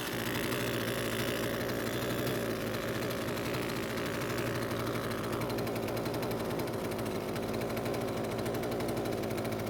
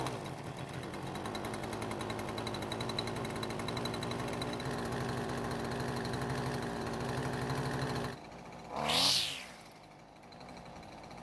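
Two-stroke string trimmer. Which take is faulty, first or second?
first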